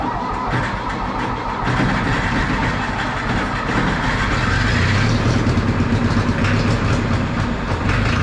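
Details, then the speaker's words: 1960 John Deere 1010 diesel track loader, four cylinders, cranking after glow plugs; slow, uneven cranking with only two cylinders weakly trying to fire; hard start blamed on missing glow plugs; smokes heavily black. "you can kind of hear those two cylinders trying I think if all four of them had glow plugs it would"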